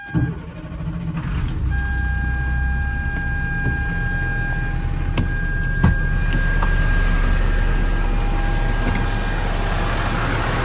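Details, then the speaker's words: 2007 Ford F-750 service truck, 7.2 C7 Caterpillar diesel, six-speed manual, 269,113 miles; quick crank and catch, then even steady idle clatter with a constant chime over it, runs healthy. "I'm going to hop in the truck and start it up. We'll take a look at the engine, and then we'll run all the equipment on it."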